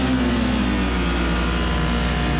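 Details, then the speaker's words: Kawasaki KRX UTV engine idling steady but too fast, about 1,800–1,900 rpm against a normal ~1,200 rpm; high idle. "And it's idling right about 1,800 RPMs, 1900 RPMs, just below 2,000 RPMs. And that is a real issue because it's supposed to be about 1200 RPMs when you have um it idling."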